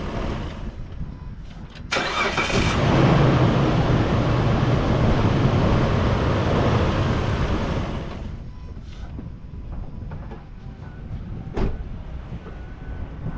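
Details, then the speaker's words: 2004 Mitsubishi Montero restarted after throttle body cleaning: short crank, clean catch, raised fast idle for several seconds then smooth settle lower; healthy, smoother start. "I can already tell the difference smooth startup it just gives you that idle up and then stabilizes"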